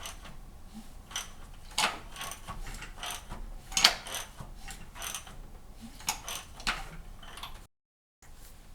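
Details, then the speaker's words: 2008 Cadillac CTS 3.6L direct-injection V6, turned over by hand after replacing all four cam phasers and the thrust washer: irregular light clicks, just like with the old parts, cause not yet found. "all right now I'll crank the engine over by hand make sure everything's kosher got some clicking going on just like it did with the old"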